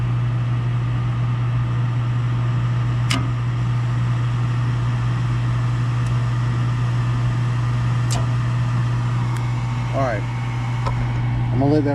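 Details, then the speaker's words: Package unit furnace after replacing an extremely loud draft inducer motor that sounded like a lawnmower; the new inducer hums steadily and evenly with no rattle, and clicks are heard as the burner tries but fails to light a flame. "All right, let's go through the process of trying to turn this thing on again and see if we can't get it to fire up. That sounds much better now."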